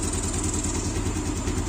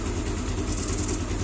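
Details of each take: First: Yamaha Aerox after camshaft replacement (missing cam gear pins) and valve adjustment, engine reassembled: even, steady idle, about two soft pulses per second, no ticking or rattle; sounds smooth again, though a hiss later traced to a missing tensioner cap. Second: Yamaha Aerox after camshaft replacement and valve adjustment: smooth idle with a faint, steady high hiss coming from where the cam chain tensioner cap is missing; quiet when covered, hisses when open.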